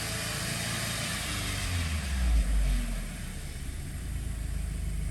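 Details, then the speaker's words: 2007 Audi A4 2.0 FSI/TFSI, 141K miles, rebuilt engine during initial break-in: short rev picks up cleanly and drops back below 1000 rpm to a steady idle, slightly high-revving with slight shimmy, no misfires or check engine lights; normal. "and it comes back down to idle not running but it's running better than it did before everything checks out no check engine lights kind of a higher revving sound that i am used to"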